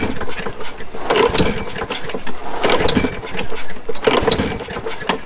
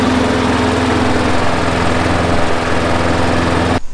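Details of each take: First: Neglected Craftsman 21-inch push mower, 6.75 Briggs & Stratton, tank just refilled after sitting dry: three or four rough pull-start bursts, each dying at once with no firing; dirty carburettor with a blocked main jet starving it. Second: Craftsman 21" push mower, Briggs & Stratton 6.75, after a new spark plug and air filter, about 20 minutes of running: steady, even drone with no stumbles or surging; healthy and settled.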